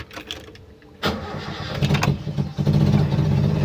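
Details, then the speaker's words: Toyota Kijang 7K engine with the emission control module refitted after replacing components. It cranks, catches after about a second and settles into an even idle. The bulb test afterwards shows the solenoid still not switching, so faulty components remain in the module. "untuk mobil bisa stasioner kita cek lagi untuk selednya apa sudah bisa on off ya"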